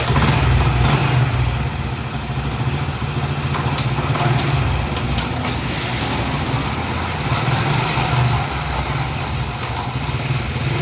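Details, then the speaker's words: 2014-model single-cylinder motorcycle idling smooth and even after repair: the previous knocking from piston and head under speed or load is gone; a badly damaged head gasket had been leaking piston pressure and blowing by. Steady low beat, no tapping or puffing. "तो मैंने आपको motorcycle start करके इस इंजन का आवाज़ भी मैंने सुनाया है। जो पहले आवाज़ आ रहा था अब वो बिल्कुल भी नहीं आ रहा,"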